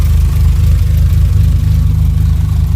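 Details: VW Jetta A4 MK4 2.0 petrol idling lumpy and shaking with two cylinders misfiring despite new plug wires, traced to a weak ignition coil giving yellow spark; strong fuel smell, no catalytic converter, revs only reach 5500.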